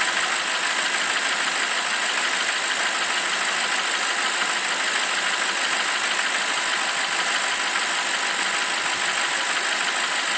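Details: BMW 745i E65 V8 after a 2°C cold start whose clatter disappears after 1 min 20 s: once warm, steady even idle with no clear knocking; the cold-start knock (owner suspects chain tensioner) is gone.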